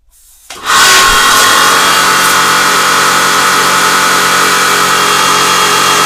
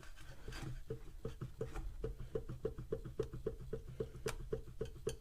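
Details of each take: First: Karcher HD 6/15 pressure washer after switch replacement: motor settles into a steady drone with constant water hiss, no surging or pulsing. Pressure is stable around 140 bar against a manual maximum of 160, with no leaks. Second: Karcher HD 6/15 pressure washer motor after replacing a melted switch (has 20-degree thermal fuse): sharp hollow knock repeating about four times a second, unevenly, as the motor turns; rotor has play in its housing, possibly from the melted switch; motor to be disassembled.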